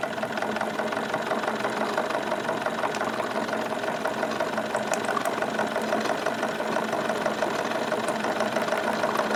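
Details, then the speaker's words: Wilesco D22 model steam engine after the cylinders warm up and clear condensate: a quick, even chuff at a steady speed with no knocks, speed rising slightly as it warms; running normally. "right here is a pretty happy running speed for it and the uh speed will continue to increase by itself a little bit as things come up to temperature"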